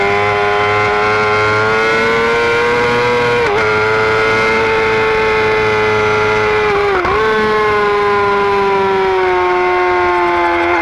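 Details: 2009 Yamaha R6 running: a loud, steady high-pitched whine over the engine that dips briefly with each throttle blip. The source of the whine is unknown; owner asks whether it is normal.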